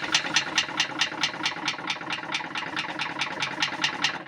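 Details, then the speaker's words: Buran 640/34 snowmobile two-stroke engine turned over by hand via the variator: sharp metallic ticks, about four or five a second, as the piston reverses direction at top and bottom, diagnosed as piston slap. "Это перекладка потому что как бы на изломе шатуна идет или вверх или вниз это перекладка"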